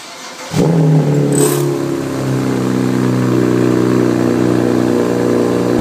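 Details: BMW E92 with the N54 engine, cold start: the engine catches and flares, then settles into a fast cold idle with a metallic rattle underneath; cause not pinned down.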